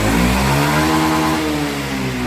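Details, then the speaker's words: Honda Zoomer X scooter after replacing the faulty, clogged fuel injector with a new one: small single revs up and holds a smooth, even buzz without hesitation or bogging; normal revving, injector fault fixed. "อ่าเราเปลี่ยนหัวฉีดเข้าไปใหม่แล้วนะครับอ่าลองหัวฉีดดูแล้วนะครับรู้สึกว่าดีนะครับ"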